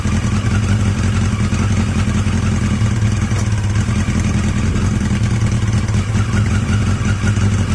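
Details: Yamaha XJ750 "Mack" at idle after a carb swap using the XJ650's carbs, filmed outdoors in strong wind; a steady low drone with no knocks or hunting, the best idle yet, a healthy-sounding four.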